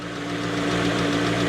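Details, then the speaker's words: V8/W8 petrol engine at idle: steady hum with an uneven, shaking beat, at least two cylinders missing; revs rise and fall again. Rough idle with misfire; the owner does not think it is bearing damage. "der schüttelt sich richtig also hier fehlen mindestens zwei Zylinder jetzt flt er wieder hoch und dann runter na gut"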